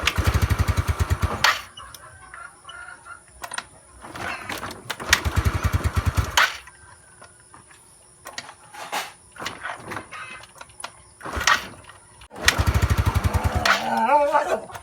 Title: Mio sporty hard start